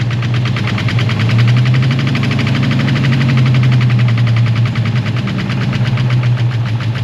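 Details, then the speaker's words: Ford SVT Cobra started, oil level checked: uneven, lumpy idle with irregular low pulses and tapping clatter on top; running but not running its best, cause unknown. "So, yeah, she's running. She's definitely running. It don't sound too bad either. She's definitely not running the best."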